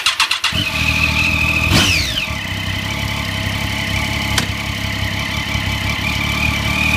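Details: 2009-2015 Triumph Street Triple on a stand with newly installed Shift Dynamics quick shifter, run through gears: steady high rev drone, then a brief dip and pitch drop as ignition cuts between changes, gear dropping in cleanly; working normally.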